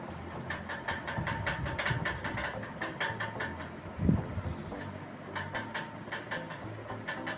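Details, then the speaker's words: Ceiling fan running: quick light ticks about six a second in intermittent bursts over the hum, per customer not continuous; worn motor shaft rattling in its bearing. "இந்த ceiling fan ஓடும்போது சத்தத்தை கேட்டிருப்பீங்க. Tick tick tick டிகி டிகி டிகி டிகின்னு வருது. இந்த சத்தம் கண்டினியூஸா வரல, அப்பப்போ வருது"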